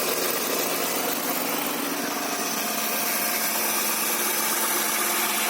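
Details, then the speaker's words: Honda Accord V6 idling after its first start following engine reinstall and rear main seal replacement. Owner calls it kind of quiet; some oil leaking seen. Steady, even idle with a soft hiss and no knocks or ticks; normal idle. "rest everything's looking good it's kind of quiet"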